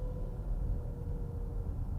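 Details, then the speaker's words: JAC E-J7 electric car at crawling speed: a steady mid-pitched hum over low road rumble. This is the pedestrian warning sound, active up to 27 km/h, louder inside the cabin than outside. "uma situação que a mais incômoda desse carro aqui é o ruído que ele faz até 27 km por hora para auxiliar deficiente visuais olha como é alto"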